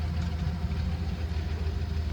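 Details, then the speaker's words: 1971 Chevy C10 six-cylinder with three-speed floor shift, idling after starting on a year-old battery. Steady, even low rumble with no misses or knocks, holding a smooth idle: normal running. "I wanna see if I can ease it out here and let her run oh I like this truck I'll tell you this this little truck right here is a dandy"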